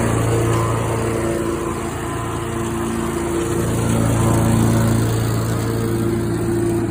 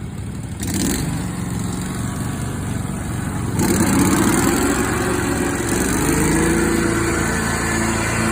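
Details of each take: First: Skag mower with the safety tied down, blades engaged, recorded for comparison with a Lesco mower that has an odd blade noise: steady engine drone with a smooth even blade hum and no knocks or grinding; normal running. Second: Lesco mower running with blades engaged, compared to a normal-sounding Skag: steady engine with an extra whirring tone from the deck that rises and wavers; odd blade noise of unknown cause.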